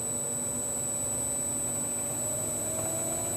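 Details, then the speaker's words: Graco EP3/EP4 hose pump electric motor on a VFD, speed raised via arrows toward 46 Hz (max 60 Hz): steady hum with faint rising whine as motor spins up and catches up to the controls; normal run-up. "so there it's at 46 okay you can hear the motor spinning up and there it's catching up to it okay so you the controls went up and now the motor caught up"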